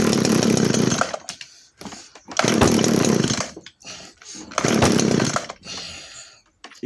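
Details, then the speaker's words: 1997 Echo HC-2300 two-stroke hedge trimmer, cracked fuel lines repaired and carburettor H/L/T screws adjusted, switched on with choke set: catches and revs in one-second bursts, dropping between, then fires again; normal cold start on choke. "je mets sur starter je vous pose là ça va vibrer mais bon qui ne tente rien à rien"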